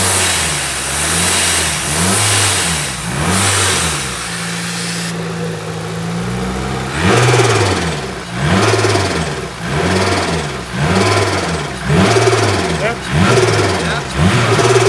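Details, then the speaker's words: Freshly built 500 bhp supercharged Honda Civic FN2 on an RB30 block, after tightening a loose battery earth, not yet up to temperature: crisp blips about every two seconds with no misses or knocks; normal revving. "It does sound like it's never sounded as crisp or as neat as that."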